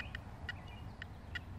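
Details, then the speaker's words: Makro Multi Kruzer metal detector in 4-tone mode, gain turned down from 90, nothing under coil: short high chirps pop up irregularly, about three a second; false signals persist from running hot, though less than at 90. "Now watch what happens when we turn the gain down. You're still getting that hot noise in the background."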